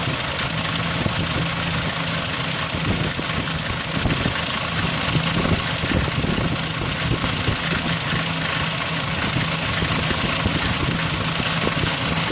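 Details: 2003 Ford Ranger 4.0: uneven metallic rattle at idle, unchanged with revs; suspected timing chain noise, unconfirmed.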